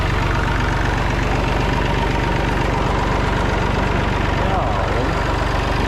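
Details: Massey Ferguson 245 three-cylinder diesel tractor idling just after first start in 12+ years, burnt/melted radiator; steady, even idle, about four firm pulses a second, no knocks or misses, charging. Normal diesel idle.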